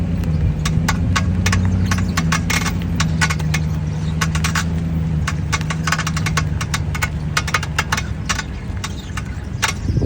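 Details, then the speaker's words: 2007 Audi A8 L 4.2 V8, microphone near the rear right wheel; irregular sharp metallic knocks and rattles two or three a second over a low engine hum, grinding inside and banging outside. Owner suspects heat shield, unconfirmed. "A couple days ago, we had this um this noise on the rear right. This one here where it's actually looks like a kind of grinding noise on the inside, but also on the exterior, it sounds like something is banging or knocking."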